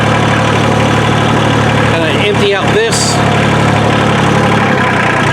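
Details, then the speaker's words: Kubota L2350 diesel tractor, after water was found in the fuel tank and lines and the system was cleaned, refilled with new fuel, and bled: steady, even idle with no misses or hunting; later gurgles hinted remaining air or water. "all right we got it running and i'm using it and it runs good so far"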